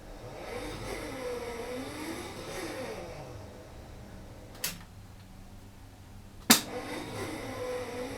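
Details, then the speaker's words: Midway Twin Pirate Gun electro-mechanical game, first power-up after fuse holder bypass: slow labored motor whir swelling unevenly with two sharp clacks; score motor struggling to reset, owner plans to clean and lube it. "Sounds like the uh sounds like the score motor is struggling to reset the game."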